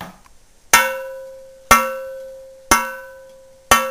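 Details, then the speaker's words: Old cast iron Griswold frying pan, warm from oiling, struck four times: each strike gives a clean, long, evenly fading ring, unlike the buzz of a cracked Wagner pan; pan is uncracked. "It has a ring. It's not cracked. So that's the sound difference when you're buying old cast iron."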